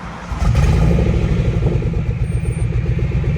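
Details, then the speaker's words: Restart on original stock injectors: engine catches and settles into a loud, lumpy idle with a fast puffing tick over the rumble, from an exhaust leak at the top passenger-side header, which is missing a bolt. "As you guys can hear, I do have an exhaust leak on this side still. I know I told you guys that I went to go get the exhaust done, but the top passenger side exhaust was missing a bolt on the actual header itself."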